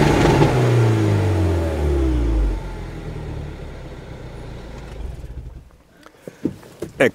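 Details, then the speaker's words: Mini Cooper R58 Coupé with a replaced exhaust made almost a straight pipe: very loud, raspy, droning roar falling as revs drop; the owner wants it made quieter. "Il problema è che questa linea di scarico è stata, diciamo, resa quasi un tubo dritto; Lo ascolteremo ora, se volete. Ed è francamente molto rumoroso."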